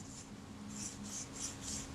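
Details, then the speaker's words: Schneider Xenon 50mm f/1.9 lens (Kodak Retina Reflex) being serviced: after cleaning, turning the focus ring by hand gives a soft, repeated dry metal-on-metal rasping scrape, typical of clean, ungreased helicoid threads; naphtha then run through threads. "You can hear that noise. That's like a dry sound. That's typical of threads that are pretty clean."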